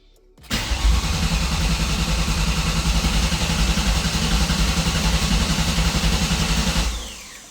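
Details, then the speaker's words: 2003 Ford SVT Cobra V8 cranked on the starter with the fuel pump fuse pulled (injectors off) after valve guide and seal repair. Steady, even pulse about four per second, no gallops; even compression, no valves hitting pistons; normal cranking. "All right, that sounds good to me. No valves hitting pistons. Nice even cranking compression, no gallops or anything. Nice and smooth."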